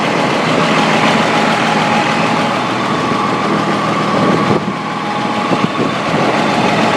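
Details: M35A2 deuce military truck diesel idling roughly, with an irregular knock of about three or four a second under the engine noise; cause unknown.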